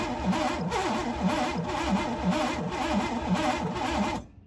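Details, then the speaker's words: Pontiac Fiero GT, non-running, after spark plugs refitted, throttle open with starting spray and battery charger: rhythmic cranking with irregular catching and puffing for about four seconds, coughing, possibly out the loosely connected intake; sticky valves suspected, not confirmed. "What was that? Oh, did it cough out the intake?"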